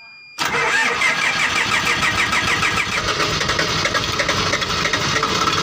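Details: Diesel engine that had been hard starting. Silence, then it catches almost at once and settles into a steady, busy idle with no stumbling. A clean start.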